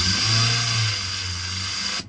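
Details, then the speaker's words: Toyota 4EFE turbo build with a homemade electronic knock monitor, sensor on the block acting like a stethoscope: smooth, even mechanical whir with a steady high ring and no sharp pinging; engine running clean, no detonation. "you know everything that's going on in the engine really well and you can actually hear if it detonates"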